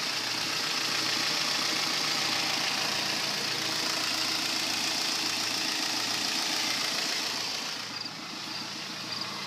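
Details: 2010 Kia Forte petrol engine at idle with a soft, steady knock about three to four times a second; number 3 cylinder connecting rod bearing spun, a rod knock less violent and less noticeable than typical.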